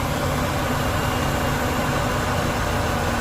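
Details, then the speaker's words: 1998 Chevrolet Express 3500 after ECM replacement to bypass the anti-theft immobilizer no-crank problem, oil pressure gauge reading pegged: steady even rumble, no knocks, misses or surges; goes in reverse smoothly, no U-joints popping; normal idle. "but it's running good goes in reverse smoth no u joints popping and carrying [Music] on"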